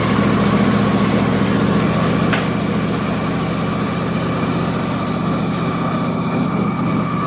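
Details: Husqvarna YTH24 mower, Briggs & Stratton Intek 24 hp V-twin, after replacing the leaking plastic intake manifold with an aluminum one and new breather gasket: steady, even low drone at constant speed, no hunting, surging, popping or backfiring.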